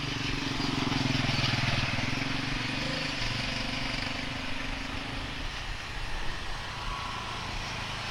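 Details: Speedybee Mario 5 DC FPV drone, Axisflying 2207.5 1960KV motors, T-Motor 5146 three-blade props, on 4S lithium-ion battery, fast flight after repairing stuttering motors: steady high buzz swelling and easing with throttle, no cutting out or stutter; normal motor operation.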